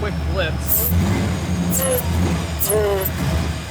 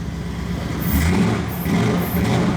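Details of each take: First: 2002 Ford SVT Lightning on first start after frame-up rebuild, deep uneven loping idle like a big-cam motor; cause of the choppiness unclear, alternator also not charging. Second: 2002 Ford SVT Lightning V8, rebuilt and running without its blower, after the charging connection was plugged in: deep rumble with two clean throttle blips, more responsive than before, no misfire; normal revving.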